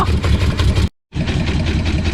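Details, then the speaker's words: Long-neglected V8 car that was dragged from the yard, running on only about four cylinders and throwing crud out: a lumpy, uneven low idle with a loping beat and dropouts. Rough idle with misfires. "remarkable considering that's only four cylinders still worth it for the entertainment value"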